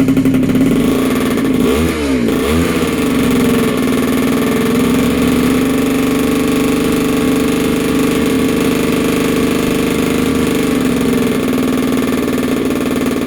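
A buzzy two-stroke blips up and settles into a steady, even high idle with no knock or misfire; it sounds healthy.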